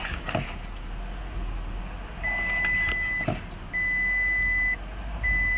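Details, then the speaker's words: Porsche Cayenne brakes after caliper work: high, steady squeal about a second long with each brake application; brake squeal reduced but still present, pads suspected, mechanic thinks an ungreased metal plate may be the cause. "итак после битвы воды скрип конечно вроде бы как стал меньше я толком не знаю но однако скрипит"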